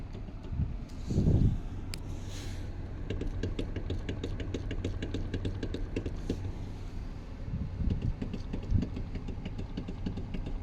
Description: In this video I showcase a knocking clunk noise that happens when rocking the steering wheel back and fourth on a Mazda CX-30 2021 model.